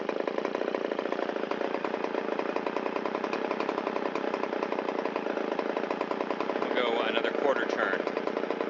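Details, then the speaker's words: Shindaiwa 360 chainsaw, long-stored, Walbro WT-89 carburetor, after idle mixture screw turned in to cure a rich dip, air filter and cover still off: fast, even two-stroke buzz, no stumbling or surging, idle RPM rises. Normal idle. "Wow, it likes that. We can hear the RPM come up a little bit."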